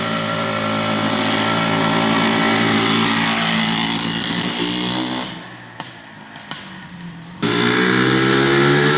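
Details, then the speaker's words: 1974 Suzuki TM250 two-stroke, original unrestored, believed jetted perfectly after going through three jetting specs: crisp, even crackle rising cleanly on revs, dipping briefly then picking straight back up; normal healthy running. "all the jetting specs and did the test riding, and I think they went through the original, a second, and then a third jetting spec to get it jetted perfectly. It runs beautifully."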